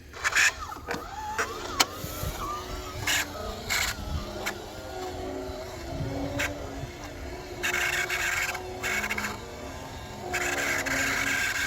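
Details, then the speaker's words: Model Ferris wheel drive motor running slowly: thin high squeal and whine coming and going over a soft running hum from the small gear motor. "so you can hear the whining of this motor and"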